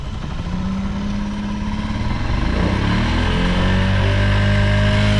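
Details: Vintage Honda Jorcub scooter (AF53-1000) running check, engine free of abnormal noise and quiet; smooth buzzing idle rising evenly in pitch as throttle opens, no knocks or rattles, healthy.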